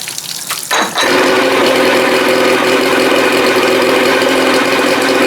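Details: 1987 Johnson 40 hp outboard on a 1975 16' Starcraft, first fire: catches and settles into a steady brisk buzz that never drops to slow idle; idles too fast, owner adjusting timing/cable, suspects cam contact.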